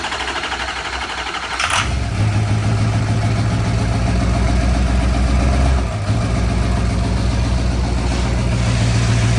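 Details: 1972 Ford F250 engine fired up: cranks briefly, catches after about two seconds and settles into a steady, even idle with a deep exhaust note and no knocks.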